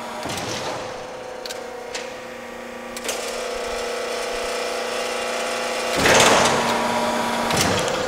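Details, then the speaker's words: Used LVD JS25-13 hydraulic shear (1/4" x 13'), full stroke, not leveled or bolted down: quiet steady pump hum with soft clunks as the blade cycles, no grinding or chatter; runs smoothly. "Now, of course, this machine is not leveled, not bolted down, but you can hear how quiet everything is, running really nice and smooth."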